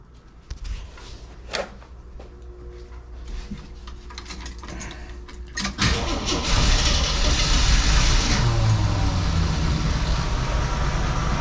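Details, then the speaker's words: 1981 Jeep CJ7 with new carburetor, started after a few days with choke opened: catches near six seconds and settles into a quiet, steady idle about 600 rpm; carb still needs tuning. "did you guys hear it run there for a second I mean 600 RPMs and it was quiet as a mouse started right up that is excellent"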